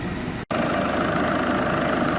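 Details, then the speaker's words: VW 2.0 TDI after timing belt DIY, warm with heat circulating and no leaks: smooth even diesel idle with steady clatter, no knocks, squeals or whines; engine sounds good; normal idle. "engine sounds good i think we're good to go test drive next"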